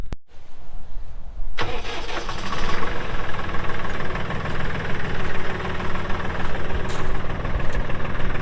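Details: 2018 Massey Ferguson 2605H 4WD tractor with 310 hours: quick crank, the diesel catches at once and settles into a steady, even low clatter at idle, all healthy.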